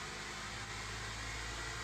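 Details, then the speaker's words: Older-generation Honda CR-V after the misfire repair and ECU reset by disconnecting the battery negative: smooth, even soft hum with no stumble, heard from the engine bay while revving gently; revs to 4000 rpm; running normally now. "Di sana kita amati mesin sangat halus dan suara knalpot pun sudah normal kembali."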